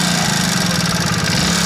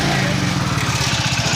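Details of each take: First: BS6 Hero Splendor Plus single-cylinder at idle after start: fast, light metallic ticking over the exhaust beat; loose tappet (valve) clearance, timing chain also suspected, adjustment planned to quiet it. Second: Hero Splendor+ BS6 single cylinder at idle after tappet adjustment (earlier abnormal noise blamed on tappet and timing chain): smooth, even putter with steady beat, no top-end ticking; engine running healthy.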